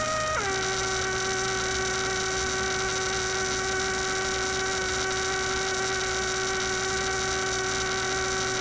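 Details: Steady buzzy tone dropping slightly in pitch then holding, from a 1967 Heathkit Electronic Projects Kit AM transmitter build; the noise persisted with the circuit disconnected, proving the bench power supply was producing the hum.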